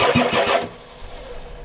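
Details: Ford F-250 XLT 7.3L IDI diesel, glow plugs connected, new injectors, ether used: brief starter cranking that dies away with no catch; suspected weak injection pump not delivering fuel to injectors, fuel shutoff solenoid untested.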